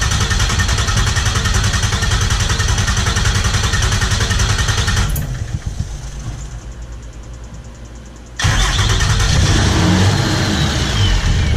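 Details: Diesel engine on a welding rig after replacing its injectors. Strong clatter and a brief dip, then it catches and settles into an even, steady beat with no misfire. Healthy start and idle.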